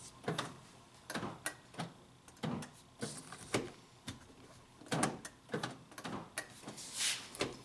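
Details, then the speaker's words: 2000 Honda Civic LX sedan, cycling the power door locks: quiet, uneven clicks and weak clunks, some doors barely responding; left rear door lock actuator and others failing. "you can see front ones working consistently that rear one worked a couple times and then it stopped working but I can hear it and look at the front one doesn't even want to work now either this thing has definitely has door locked issues"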